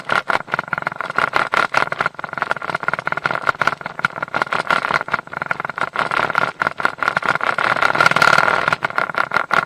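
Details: Mercury 150 HP outboard running with a rapid uneven rattle and chatter over the engine note; prop chatter from a loose, undertorqued propeller knocking on its hub, not the shaft.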